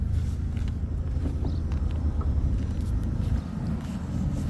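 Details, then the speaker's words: 2008 Opel Zafira 1.6 petrol, 206,000 on the odometer, just started with no error warnings: low, steady, quiet idle with an even rhythm and no knocks, ticks or whine; normal healthy idle. "запускаємо авто от будь ласка запустилась наша автівочка будь ласка ніяких помилок Нічого ми не маємо тихесенько все працює"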